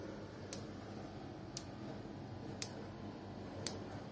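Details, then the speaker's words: Built-in gas hob igniter clicking continuously by itself, sharp evenly spaced clicks about once a second; cause is spilled water running under the knobs into the switch mechanism and shorting it, fixed by removing the knob and drying with a hair dryer. "Evet herkese Merhabalar arkadaşlar ocağımız sürekli böyle çıt çıt çıt çıt ses yapıyordu yani sürekli Çakmak sesi vardı bu şekilde"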